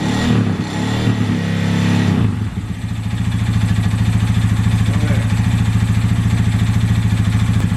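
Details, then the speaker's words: Honda Grom engine at idle after valve adjustment (exhaust side was tight, intake loose). A steady ticking knock of about three a second follows engine speed and is still present; first thought to be timing noise, now rod knock is feared. Source unknown. "well the noise is still there"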